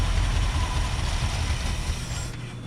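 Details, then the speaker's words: 1978 Chevrolet C30 ramp truck with a 350 small block, HEI and Edelbrock carb, off the road about seven years, at −4°F: a deep, steady V8 idle with an even rumble and no ticks or knocks; normal. "HDI Edelbrock just fires up Idols no noises"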